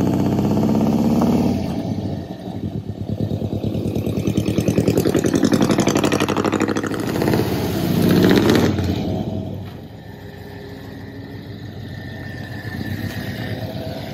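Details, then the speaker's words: 1985 Ford Bronco V8, driving under load with vacuum advance blocked off and manual choke: uneven stumbling beat instead of smooth rumble; misfire suspected from corroded distributor cap and rotor. "as you can see it does run and drive if you want to call it that doesn't sound great"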